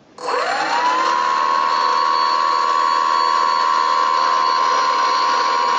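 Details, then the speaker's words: Brushless outrunner prop motor on a Skywalker RC model aircraft, after in-situ dynamic balancing by grinding material from the motor side: clean, steady high whine with no wobble, pulsing or low drone; smooth running, balanced motor. "absolutely smooth motor just purrs around no sign of off-balance and I can't detect any out of balance problems using the laser either"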